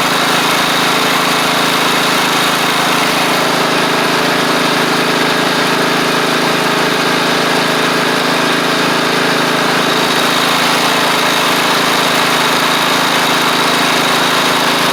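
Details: Replacement single-cylinder engine with new head gasket on a Troy-Bilt Pony rider: steady, even drone at constant speed with no surging, knocking or misfire. It runs fine; a little startup smoke is smaller at low throttle, and the owner suspects oil on the exhaust, not the head gasket.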